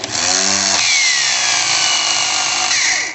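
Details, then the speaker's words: Starter motor spinning with high, shrill whine, pitch sliding as the bendix drive shuttles back and forth; starter stayed engaged and spun with engine; worn slider on the bendix shaft where the shift fork engages. "tá vendo ele vai e volta vai para frente para trás lá depois desligada nessa folguinha que ele dá aí"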